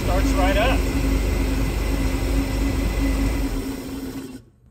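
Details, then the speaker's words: 1963 Chevy Corvair Monza Spyder turbo, parked since mid-1970s, fuel pressure holding at 7 PSI, no return line yet: engine starts right up and settles to an even, steady idle with a faint hum; healthy start and idle. "that's pretty good though it starts up right away check it out"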